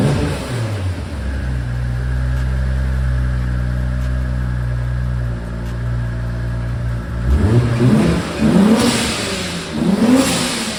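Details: Big-turbo Supra on ECU Master Black Series, drive-by-wire, custom true 4-inch exhaust: steady idle then smooth repeated rev blips, no knocks or rattles, turbo whistle audible at exhaust and front; healthy turbo engine.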